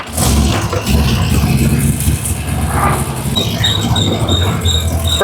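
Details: Twin-turbo LS-swapped Nissan GQ Patrol build on its first drive after running an alternator cable and power-steering lines; under low road rumble, a thin high-pitched squeak comes and goes in short repeating chirps as the truck rolls slowly; brakes squealing.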